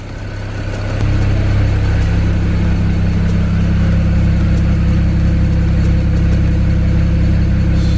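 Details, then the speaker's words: 2008 BMW 335i N54 twin-turbo inline-six heard at the rear: settles quickly into an even, smooth low idle with no stumble, misfire or smoke; a normal idle. "breathe now back here as you can see no smoke that's so much crap came out of it from before idly nice and smooth"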